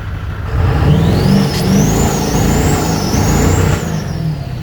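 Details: 2001 Ford 7.3L diesel at 330k miles: runs with an uneven, lumpy low beat and a wavering turbo whistle; engine misfire, cause not yet found.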